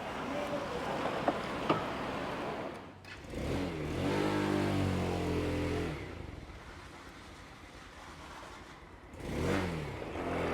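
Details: 2023 Vitacci Vader 125, 4-stroke air-cooled 125cc single, 4-speed manual, prepped new bike: even idle with two clean blips that rise and settle smoothly, no knocks or rattles; normal idle and revving, healthy.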